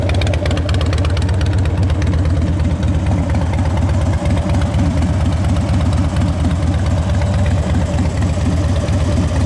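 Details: 2010 Harley-Davidson Dyna Wide Glide V-twin, with a new battery, adjusted clutch and fresh gas: deep, even idle lope with a steady beat and no knocks, ticks or misses. Normal, healthy idle.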